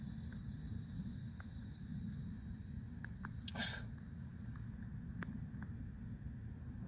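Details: New Fluidmaster 400A toilet fill valve refilling the tank: faint, thin, high-pitched whistle under the water hiss, with a second tone joining partway. Whistling fill valve.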